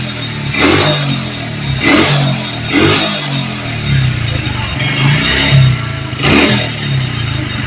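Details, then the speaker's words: Honda Supra that stalled when hot and restarted cold, burnt part found, coil replaced: small single idles with steady low putter between blips, no misfire or stall; normal idle after repair. "Ini udah diganti ya spolnya itu udah diganti. Ini yang lama ini langsung kita hidupkan, Mas Bro ya."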